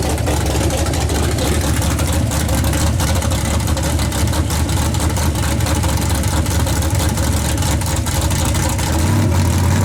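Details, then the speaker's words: Chevy S10 on a road test under throttle, with new plug wires and spark plugs: uneven crackle and irregular pops through the exhaust roar; misfire, owner suspects weak battery, voltage or a bad ground. "still doing it I don't know what it is new to stripper new plug wires and your spark plugs and I have no idea the only thing I can think of is it could be voltage somewhere maybe the battery's weak or shorting out a grounding or something"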